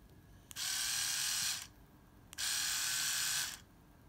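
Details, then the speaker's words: 3.6 V motor of a Philips AquaTouch shaver being repaired, running again after fiddling (possibly sticking brushes, owner unsure): two one-second bursts of steady high buzz starting and stopping cleanly at full speed; normal running. "what's going on that sounds to me now like it's fully loaded again oh"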